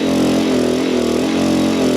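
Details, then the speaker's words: Small gas generator rated 800 running watts, pushed to 800 watts charging an Anker Solix F3800 Plus via 120 V adapter: a strained, hard-working drone with a heavy, slightly wavering hum, labouring at its limit before the generator shows overload. "Nope, overload. Let's lower that back down. There we go, lowered it back down. It was showing an overload on the gas generator."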